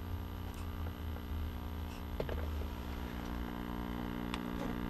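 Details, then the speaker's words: Old tube radio of unknown make, seller-recapped but not playing, run at about 60 volts during warm-up, no excessive current draw: low steady hum with faint crackles from the speaker, volume wide open; mains hum. "Okay, I'm starting to hear some hum from the speaker now. Right, volume is wide open."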